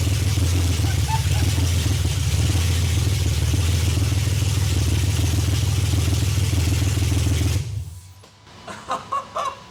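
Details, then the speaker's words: 1991 BMW E31 850i V12 with no exhaust fitted, being returned to the road: very loud, deep, steady rumble with an even idle and no ticking, then shuts off; healthy idle. "that is so loud holy but it runs did it sound no weird ticks or anything I didn't hear I didn't hear after it started start it again okay"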